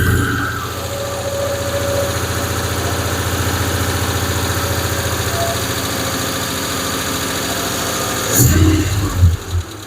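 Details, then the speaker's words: Freshly built Hemi V8 in a Plymouth Duster with homemade intake: a lumpy idle with a light quick clatter over the firing beat, one lifter clanking, then revs blipped; owner is bothered by the one lifter. "Look at that one. One lifter is clanking away at all. That bothers runs like a damn watch right now. Anyway, I just got that one lifter clanking. That bothers me."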